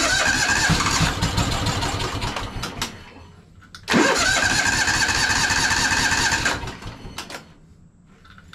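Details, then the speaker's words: Craftsman DLT3000 lawn tractor, water-contaminated stale fuel drained from the carburetor bowl: two long even cranking bursts, engine never firing while the bowl refills. Crank no start from water in fuel. "now that I've got that emptied out try to Crank It Up see what happens probably I'll check it again oops break oh come on now it's gonna have to fill up the whole carburetor Bowl again"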